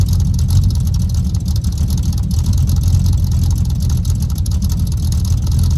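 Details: 383 V8 El Camino cold-started without choke, idling on new glass-pack exhaust with headers: deep, loud burbling rumble with a steady choppy lope, no knocks or rattles; normal idle.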